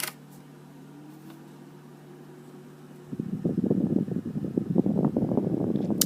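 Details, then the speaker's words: Evaporative humidifier with squirrel cage blower, two-speed fan on sleep (low) mode, no water running; soft steady low whir with light fluttering air rush, quiet and normal. "It's pretty quiet. It really does not make much noise at all."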